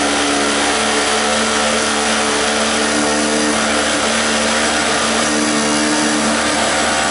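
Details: Five-dollar two-stroke 900 W portable generator, first start, run on choke with starting fluid: a steady, buzzy note at an even pitch with no misses or surging. It runs cleanly; fuel leak and loose voltage control were noted.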